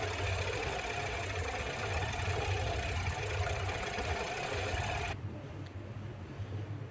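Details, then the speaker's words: 2015 Audi Q7 V6 TFSI idling with a check engine light: an uneven stumbling beat, constantly misfiring on cylinder 5 even after a reset. A coil swap didn't fix it; the owner plans to replace the left-bank variable valve solenoid. "So you see this is gone through the reset process, and so you're still just constantly misfiring on cylinder 5."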